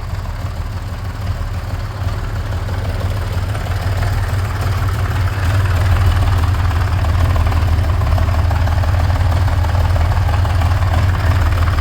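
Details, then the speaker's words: 47-year-old, never-rebuilt Honda CBX idling cold with a light, loose clutch rattle over its deep steady hum; the rattle gets better when the clutch is pulled in; a cover also leaking, gasket to be replaced. "It's got a little clutch rattle. You can hear it gets better when you pull the clutch in."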